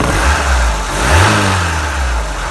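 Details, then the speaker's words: Opel Manta Berlinetta carburettor engine with Weber upgrade, bonnet open: picks up cleanly, rises and settles smoothly with no misses or knocks; runs really sweet, though a part on top is loose and a tune-up likely needed. "So the engine runs really sweet. I just need to sort out this because it's a bit loose on top. I need to sort that out. But yeah, it runs really nicely. Runs really well."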